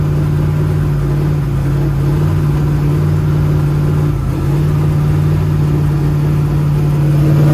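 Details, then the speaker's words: Turbo LS Mustang built for 1000+ hp, new Aeromotive fuel system, first fire-up; loud choppy loping idle about 900 rpm, steady with no misfire, air-fuel ratio right on; normal big-cam idle. "that cam sounds nasty that's like 900."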